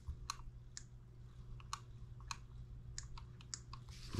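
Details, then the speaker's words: New M17B model engine first start on the bench, with batteries in and switch on before fueling: sharp light ticks about twice a second over a faint hum; spark firing, ignition system working. "you guys can hear that so we know our ignition system's working"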